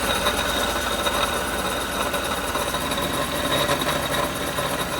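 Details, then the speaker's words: 2015 Chevrolet Tahoe V8, noise present whether cold or hot: gritty metallic grinding rides steadily over the idle, felt by hand on the water pump; likely worn water pump bearing, not vacuum pump. "I can just put my hand on the water pump and feel a grinding, sort of metallic-y feeling. So I'm almost 100% sure it's a water pump,"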